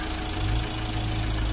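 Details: Ford Ranger 2.2L diesel that wouldn't start, fixed by replacing the suction pump and clearing error codes: steady low diesel clatter at idle, even and unbroken, no misses or hunting, no check-engine light; running normally.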